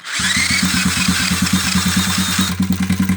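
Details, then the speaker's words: 2001 Honda XR70R started cold by drill on the starter at about -7 to -8 °C: catches after brief crank, runs with fast even pulses and a dry metallic clatter; owner suspects timing chain rattle, unconfirmed. "Oh, listen to that timing chain. Ooh. Well, it runs. It's got a pretty good rattle."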